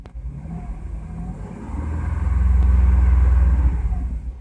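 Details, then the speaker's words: 2004 Jeep Liberty after replacing the AC compressor pulley bearing that caused an RPM-dependent grinding drone at idle: smooth low idle rumble with a short rev blip, no grinding or droning; fixed, fresh grease still bedding in. "so it'll get better over time but yeah listen so quiet it's so quiet so very happy about that"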